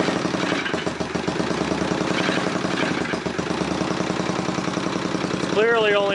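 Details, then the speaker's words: 1978 Honda CX500 with faulty ignition, running on only one cylinder, spark issue suspected since one plug boot doesn't seat: lumpy, uneven idle with a hollow, limping beat. No spark on one cylinder. "on one cylinder so i need to figure out if it's a spark issue or if it's a fuel issue pretty sure it's a spark issue"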